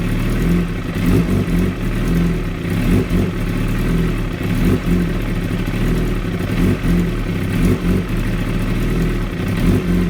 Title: 16 zx10r very rough idle 4_8_17